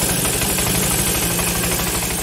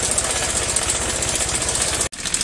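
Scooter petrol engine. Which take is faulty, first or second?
second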